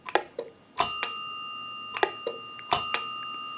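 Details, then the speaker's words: Western Electric 202 rotary desk telephone with bell box, after phone repair but before bell repair; sharp clicks as the receiver is lifted and hung up, each followed by a short fading bell tinkle; ringer tinkles on hookswitch operation. "he gets a little bit of a bell tinkle whenever he tries to dial the telephone or when he hangs up or picks up the receiver"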